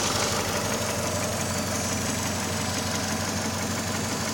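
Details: Mercedes Vaneo or A-Class 1.6 petrol, after engine flush and oil change: light rapid ticking about three per second over steady idle hum; hydraulic lifters tapping.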